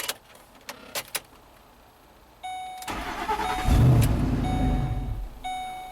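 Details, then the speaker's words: The starter whirs and the engine catches, revs briefly, then sags and stalls. The intake tube is missing, so the mass airflow sensor misreads the unmetered air. "Oh, we found out why it's stalling. You know, owner says cut. Our intake tube is missing, so the mass airflow sensor is not reporting the right air."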